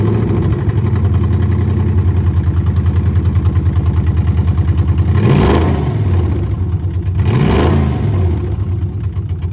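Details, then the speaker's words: 2001 Lexus IS300 with swapped 1UZ V8, first start after installation: lumpy, uneven idle with two quick throttle blips, caused by a vacuum leak and unplugged mass air flow sensor; rough running from vacuum leak and disconnected MAF. "all right guys we had a vacuum leak and we didn't have a mass air flow hooked up so let's try that [Music] again"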